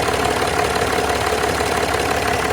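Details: Land Rover Discovery 4 3.0L SDV6 diesel, loud rattle addressed by replacing auxiliary belt and tensioner: steady even idle with light regular combustion clatter, no rattle or knock; normal, healthy idle.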